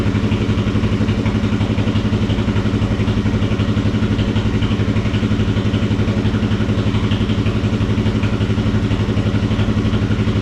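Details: Kawasaki KFX400 single-cylinder after engine case replacement, carburetor still leaking fuel: even steady thumping about four beats a second with no knocks or rattles; idles cleanly, healthy motor.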